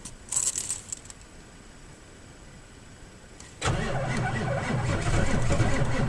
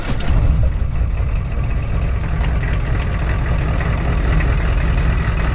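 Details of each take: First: 7.3 IDI diesel, intermittent slow crank at about minus one degree, batteries new: quiet, then a few seconds of sluggish, labouring cranking at about three and a half turns per second before catching; positive battery cable suspected and replaced. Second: Ford 7.3 IDI diesel truck about three weeks after a positive battery cable replacement for intermittent slow cranking, parked nearly a week at 1–2°C: short quick crank that catches almost at once into a steady low idle; slow-crank problem fixed.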